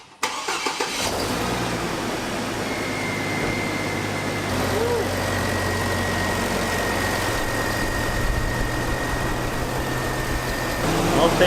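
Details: Hummer H3 after belt tensioner and belt replacement to cure engine chatter from a worn tensioner bushing; cranks, catches and settles into steady idle with light belt whine, no clanking from tensioner.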